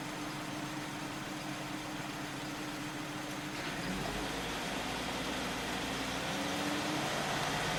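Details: 2001 Volvo V70 T5 at idle: steady idle with a slightly uneven pulse and intermittent stumble under a hissy background. Ignition misfire attributed to ignition coils, not the common ETM failure; otherwise runs well.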